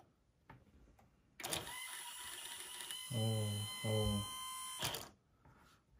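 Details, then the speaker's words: Akai GX-9 tape deck, transport before repair with a bad belt and worn idler tire: the motor whirs in two short straining bursts but the reels never get going; belt slipping and idler tire glazed. "As you can hear, it is like trying to spin but also not. Okay. Doesn't work at all."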